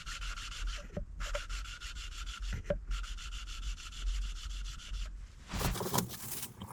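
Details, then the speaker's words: Second valve being hand-lapped, moving from coarse to fine paste after the contact patch developed with coarse. Short bursts of softer, even scraping strokes with brief pauses, fine paste finishing a dull seat. A bead in the middle may later need more coarse. "Okay, and you can see that contact patch is developing nicely with the coarse. Let's move on to fine."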